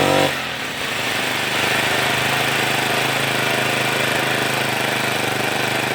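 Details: Grass trimmer two-stroke, about two years old, after primer bulb and filter replacement fixed its failure to rev: short blip, then a steady high scream held at full revs without bogging or surging.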